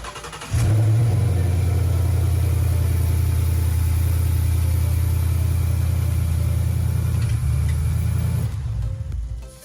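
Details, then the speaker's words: Manual Ford Mustang GT with 7,000-mile engine during rebuild: fires and holds strong even rev, deep steady V8 rumble, no knocks or pulley noise, sounds like a raw beast; some hoses still need changing; normal engine revving. "It looks pretty, but it sounds even better, John. Oh yeah. Sounds like a raw beast, boy. No problems with this engine."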